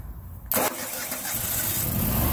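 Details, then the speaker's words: Early-series Generac standby generator after repair, oil checked, battery charging at 13.84 V DC: quiet, then a sharp crank catch settling straight into a steady even run; starts and runs normally. "Starts up and seems to work."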